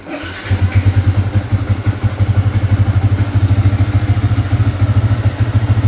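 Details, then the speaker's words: Yamaha Y15 single-cylinder with 63 mm top set, freshly built, throttle body air and timing roughly adjusted, not yet fine-tuned or dynoed: lumpy, slightly uneven low thumping, no mechanical knock; normal running but untuned. "Okay, tapi respon nak bawa memang ada bobok lah. Okay, ada bobok lah, dia tak fine tuning kan."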